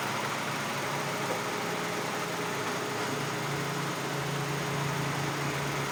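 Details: Hyundai Elantra, after fixing a no-crank, no-start problem: engine settles into an even, steady idle with no misses, knocks or stumbles; normal idle.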